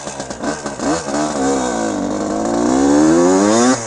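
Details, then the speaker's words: 1974 Suzuki TM125 125cc two-stroke, national championship winner, internals from a later Suzuki RM: crisp, clean revving with a fast steadily climbing pitch and no rattle; tight, healthy engine that "rips." "It rips. Absolutely rips. Listen to this thing. She's a ripper."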